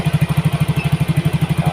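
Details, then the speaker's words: Yamaha Mio GT injected scooter after injector replacement and CO trim cut from 15% to 7%; mixture balance now right. Even, steady single-cylinder putter, no misses or hunting; normal idle. "Nah, kita lihat untuk keseimbangan campuran daripada motor ini. Ini tuh pas ya."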